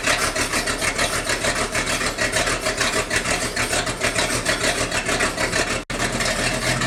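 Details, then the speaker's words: Sea Ray 220 with 7.4 big-block V8 at about 65°F, cold start on standard gas: even, steady idle with a fast regular pulse and no knocks, smooth, with an occasional slight stumble blamed on water in the gasoline. "but it seems to be running okay it's smooth as silk"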